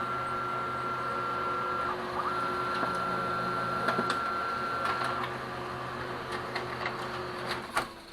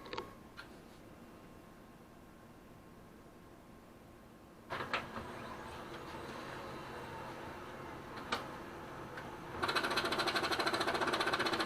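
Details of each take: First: Brother DCP-L2500D copier runs a copy smoothly after the faulty knocking scan bar (LT2868001) was replaced with a non-original Samsung bar: steady motor whine and even mechanical whirring, no scanner knocking. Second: Brother DCP-L2500D scanner not working: the scan bar carriage clatters rapidly against its left-side end stop and cannot focus or calibrate; faulty scanning bar, replacement part LT2668001.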